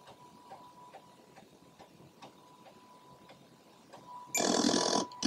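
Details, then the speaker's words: Atari 1050 floppy drive with Mini-Speedy upgrade writing sectors to a freshly formatted blank disk during a copy: quick, even head-stepping clicks about three to four a second over faint motor hum; healthy fast disk write. "right there it goes and you can see how fast it's writing those sectors to the disk"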